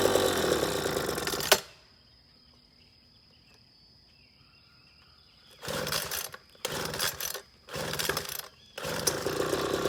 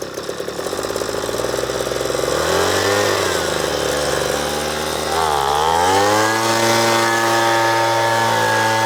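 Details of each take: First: Leaf Blower Rattling Noise and vibrates Fix Second: Two-stroke leaf blower, previously rattling and vibrating, with a badly burnt spark plug found: clean buzz rising and falling smoothly with the throttle, no rattle or shaking; runs normally.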